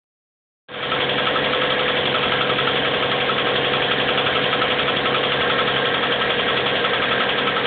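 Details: 1997 Subaru Legacy Outback flat-four at idle, cold: fast fairly even knock three to four a second; began faint in winter, now every start, fades after about 20 minutes warm-up, returns briefly at idle; cause unknown.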